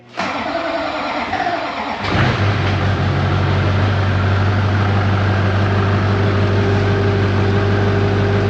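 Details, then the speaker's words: LB7 Duramax diesel with air in the fuel: about two seconds of cranking, then it catches and settles into a steady low idle after a hard start. Injector balance rates are out of spec. "Here we go. That sounded like lack of fuel. Yeah. It is. It's got a bunch of air in it."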